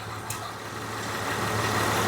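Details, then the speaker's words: 2007 Honda Odyssey with no AC, check engine light on, about 11–12°C: the engine idles steadily while an even compressor hum builds as the clutch engages. The compressor runs normally after the failed AC clutch relay is replaced. "so I found uh another relay and I'm putting it in and the relay turns on and the compressor runs so it's just a failed relay"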